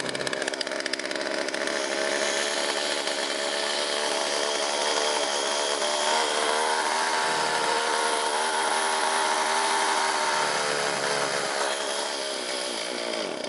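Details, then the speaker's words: Two-stroke chainsaw that dies down when taken off choke; owner suspects too little gas and a carb needing blowing out, and wants fresh fuel. High buzzy revving sags and surges unevenly and can't hold speed; exact cause unconfirmed. "Probably not enough gas for starters, and when I put it back in out of choke mode, it kind of dies down. So might still have to blow out the carb a little bit."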